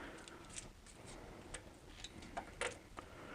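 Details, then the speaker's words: BMW E46 M54 engine rebuild: a connecting rod rocked on a verified flat surface gives light metallic taps, showing it is very slightly bent or twisted. A 1.6-thou feeler gauge barely fits, mostly at the edge. "so now if we put the connecting rod there, you can clearly you can clearly hear the tapping. It's very, very slightly bent that way."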